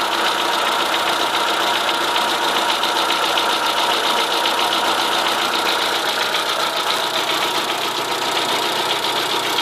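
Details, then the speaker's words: Chevrolet Corsa 1.0 8V VHC at idle, original mileage: rapid, even knock about 220 per minute, only on one side; stops when alternator belt tension is released, persists with another alternator and new tensioner; no oil use, overheating or smoke; main bearing suspected, unconfirmed. "agora esse barulho via a tensão da correia do alternador ele para me disseram que pode ser mancal eu gostaria de saber a opinião de vocês"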